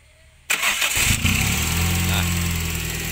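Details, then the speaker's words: Old Toyota Soluna ex-taxi, started from outside after sitting about one week: brief crank, catches instantly, then a steady, even fast cold idle with no knocks or misses. RPM drops to normal once slightly warm, indicating a healthy engine. "untuk pertama kali hidup dia memang RPM lebih tinggi lalu kemudian jika sudah sedikit panas dia RPM akan normal kembali dan inilah yang menandakan kondisi mesin yang masih normal seperti itu"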